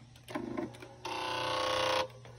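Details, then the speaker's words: Newly acquired Viking Husqvarna 1100 (300th anniversary) sewing machine of unknown condition, switched on. A brief buzzy rattle, then a second of motor whir with a rattly edge; unsure whether the rattle is normal. "i'm not sure if that noise it did that rattling noise was common for these"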